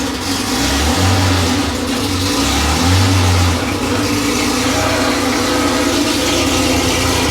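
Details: Porsche 911 3.0SC air-cooled flat-six rebuilt to 3.2 specs, test run on a stand with a 915 bellhousing, completely cold after sitting overnight (26°), CDI squealing: deep, even burble with clean throttle blips and no knocks or misses.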